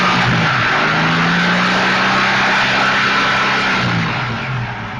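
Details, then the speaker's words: Mk1 Ford Capri 3000 Essex V6 after fitting Powerspark electronic distributor ignition, fixing an air leak and setting valve clearances: blips up and settles cleanly without misfire; old plug leads suspected for earlier rough running; smooth revving. "Let's hope that that has cured that rough running. It looks promising. It's a lot better than it was."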